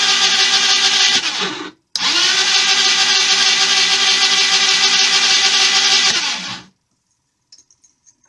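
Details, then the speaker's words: Jonway Xpressway YY250T 250cc scooter: high whirring starter spins engine at about three compression pulses a second but it never catches, despite rebuilt carburetor, new plug, coil, stator and pickup, plenty of fuel and spark; crank, no start. "this is my John we express 250 it has been my project since fall and and I really don't want to give up on it but I'm at my wit's end okay this is what I get when I try to start"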